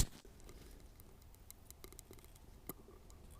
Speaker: you hear that that's the oil gurgling oh it's really happening on number seven